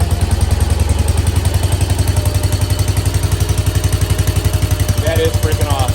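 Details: 1968 Case 155 garden tractor, sat a long time, revived by cleaning the points: single-cylinder restarts easily and thumps along at an even beat of about four per second; steady normal idle.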